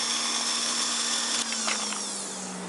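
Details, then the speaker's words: Janssen player piano with rewired motor: steady high motor whine, then short hissing shuffle as the pneumatic mechanism shifts back to forward, ready to play; works normally, whine muted once covers fitted. "then this uh pneumatic mechanism shifted it back to the forward position so it's ready to play again"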